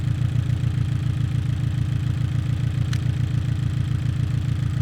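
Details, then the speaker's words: Abarth 500/595/695 idling with a lumpy, rhythmic stumble: the coil pack was swapped from cylinder 3 to 4, but the misfire stays on cylinder 3, so the coil pack is not the cause; the spark plug was later found faulty. "Okay, so now we've started the engine back up and we still have a misfire as expected, but now we're going to see if it's still on cylinder three or if it has moved to cylinder four."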